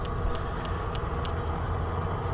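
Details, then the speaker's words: NA Mazda Miata with 1.6 to 1.8 engine swap, no-start, all-injector scan-tool test: light sharp ticks about three a second over a low hum; only one fuel injector clicking, others dead. "All right, so doing the injector test, only one injector is working. So I'm gonna select all, and that should actually run all the injectors. So we're gonna go here, and we're gonna listen, so you can hear this one injector clicking."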